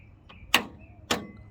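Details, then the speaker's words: 1989 Fox Body 2.3L four-cylinder, 5-speed, no-start, no-crank with charged battery: two sharp clicks from the starter when jumped with a screwdriver, no cranking; solenoid seems to work, starter motor failed and is replaced. "click and that's coming from the starter so now what i'm going to do is i'm gonna take the starter off"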